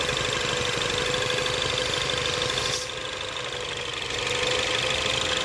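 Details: 2017 Ford Focus ST at idle: steady idle with a constant hiss and a fixed mid-pitched whistle on top; owner suspects a vacuum leak, not confirmed.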